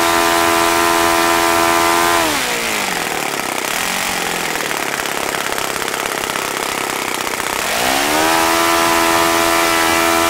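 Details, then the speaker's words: OS FS-95V four-stroke glow model engine, first run after rebuild, electric start, 15% four-stroke fuel, 14x6 prop, OS F plug: high steady buzz sagging in pitch mid-run then climbing back cleanly with no misses; runs fine, throttle arm overly free. "okay so that was pretty impressive aside from the little issue I had with the throttle arm being really free and my throttle setup not allowing me to you know keep it down lower so I can get my tax set up seems to be a really fine running engine"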